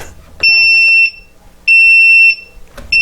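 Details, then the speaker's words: Upair One 2K quadcopter transmitter low-battery test: piercing high beeps about two-thirds of a second long, repeating roughly every second and a quarter; the transmitter's low-battery warning telling you to land and change it. "but the transmitter is beeping it's letting you know that the battery is low and you need to change it"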